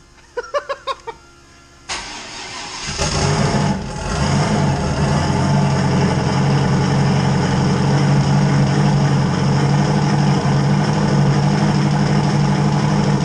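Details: LS 5.3-swapped Fox Mustang previously running its fuel pumps dry, now refuelled with 60 psi fuel pressure on one pump: after a few clicks and a crank the engine catches and settles into a steady, even idle.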